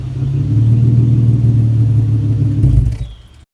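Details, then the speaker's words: Nissan G on jack stands, cold start after running issue fixed with coil packs: engine catches and settles into a deep, even rumble with no misses or rattles; healthy cold start. "all right everybody so cold packs fixed the running issue uh car seems to be running fine i'm gonna get a little sound clip at the very end of car cranking up from cold start"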